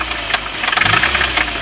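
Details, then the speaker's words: Audi 1.8T AEB at idle: sharp, quick ticking knocks follow engine speed, with the owner suspecting the hydraulic lifters; the chain tensioner was checked and replaced, the oil pump recently replaced, and the source is still unknown. "Непонятно, стучит как-то двигатель. Похоже на гидрокомпенсаторы."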